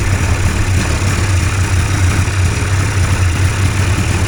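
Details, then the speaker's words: Two-stroke hovercraft engine, newly fitted coil, carbs sorted, primed and started in the shop, idles with a steady, even, smooth low drone, no misses or knocks, left to warm; normal idle. "That's what it's supposed to run like. I'll let her warm up for a bit."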